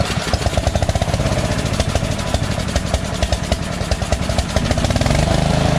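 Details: Engine after swapping the surging carburetor for a Chinese-copy Nikki 590399 carb with a drilled-out O-ring intake manifold and backward 90-degree fuel nozzle: low, slightly uneven chuffing that picks up speed without stalling or surging; surge fixed.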